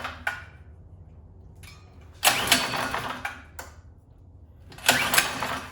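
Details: 79cc bike-kit engine on a bench, Chinese muffler and air cleaner fitted, linkage previously out of adjustment: short, thin rev blips separated by near silence, won't hold speed; poor running, owner thinks the governor must be removed.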